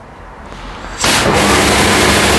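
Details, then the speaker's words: Hot-water pressure washer boiler, fan motor and spark transformer already running on a timer; on pulling the trigger fuel is introduced, a quiet fan hum then a sudden whoomp as the burner lights into a steady roar: normal burner ignition. "then the fuel will be introduced it will ignite straight away so let's just give it a go"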